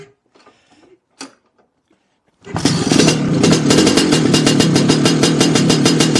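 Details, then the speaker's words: Lambretta two-stroke with a failed drive-side crankshaft oil seal, gearbox oil changed last week now aerated and tinged with petrol: it catches and buzzes at a fast, slightly uneven idle, revs rising by themselves as it sucks false air. "well it didn't really clear up exactly but what happened there was uh the revs started to rise by itself and that what that means is that it's uh it's got rid of quite a bit of gearbox oil out of the crankshaft and it's sucking in uh false air"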